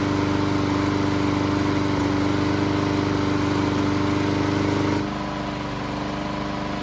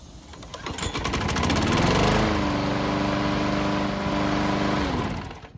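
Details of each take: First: Bolens mower small engine that wouldn't start, after repairs, hot after several minutes running; smooth even speed, eases down, then stops; normal running before a hot-restart test. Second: Bolens mower, hot after several minutes running: restart fails until primed again, then catches after a short crank and runs steadily; hard hot starting, carb or engine problem suspected.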